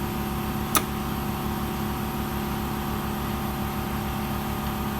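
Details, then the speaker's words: Ingersoll Rand air compressor runs continuously with a steady drone, fast even pulsing thump and a click; air leak found in the roll of the airline hose. "Sorry, compressor, you get that? It must have a leak, I think."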